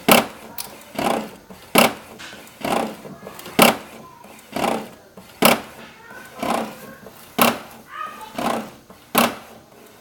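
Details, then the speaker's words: HP 7612 printer makes an odd rasping scrape in repeated bursts, about one per second with each mechanism pass, only when printing A3 sheets; print output is still normal; cause unknown, abnormal noise during printing. "Bom pessoal, ela imprimiu aqui a folha 3 E tá com essa zoada, esse barulho que eu não sei dizer o que é."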